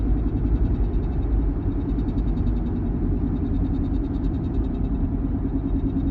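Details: 1-year-old Porsche Macan: low, uneven rumble with faint rough flutter while running; abnormal noise, source unknown.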